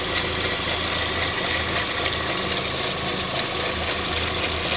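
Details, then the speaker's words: 2005 Pontiac Vibe with Toyota 1.8 engine, 250,000 miles, on cold start: steady idle under a bright, fast metallic clatter near the timing chain. Actuator or water pump suspected, unconfirmed; belt cracked. "Now it sounds like it's coming from under here where the timing chain is. You could hear the actuator on a cold start."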